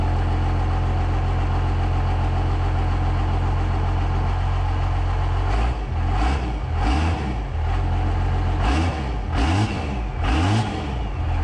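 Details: First-gen diesel truck with a P-pump, started on a borrowed battery: deep steady clatter at fast idle, then several strong revs that pick up cleanly and settle; healthy, though it later wouldn't shut off (not a runaway).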